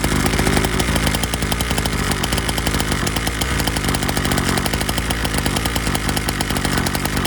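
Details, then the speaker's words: Syx Moto 50cc dirt bike started on choke with a touch of throttle, before idle screw adjustment: high, buzzy, fast-pulsing steady drone with no dips; running on choke. "We'll put the choke on, and let me go ahead and crank it up. Got our throttle here, and see if we get it choked up."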